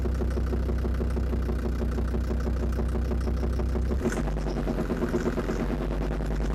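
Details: Land Rover Defender TD5 diesel after radiator work, mic near snorkel/intake, throttle blipped; light steady tapping that speeds up with revs, seemed to fade after revving, owner suspects exhaust manifold, most likely hydraulic lifters; unconfirmed engine knock.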